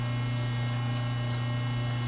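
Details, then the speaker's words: MGI Power Punch Pro business-card die cutter switched on in blank-card mode: steady, even low hum of the hydraulic unit as the die lifts, running normally with no knocks or surges. "it has a hydraulic you can hear the die-cut come up"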